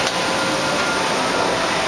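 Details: Fadal VMC5020A 4-axis vertical machining center, built 1997, under power in an aerospace facility, single-shift machine in good running condition: steady even whirr of spindle and fans, no knocking, rattles or grinding.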